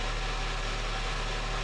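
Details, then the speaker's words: Car under repair for overheating (head gasket leaking pressure into coolant) idling on a freezing-cold warm-up cycle after priming an empty fuel rail; smooth, low, even hum with no misses or knocks, running good. "It's running good. I'm going to put the tire on while it does a warm-up cycle."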